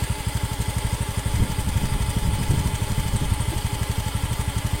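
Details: Honda Beat FI scooter, misfiring and bogging after a service, now repaired: steady, evenly spaced idle, no hunting or misses; fault was only bad O2 sensor readings, sensor repaired not replaced.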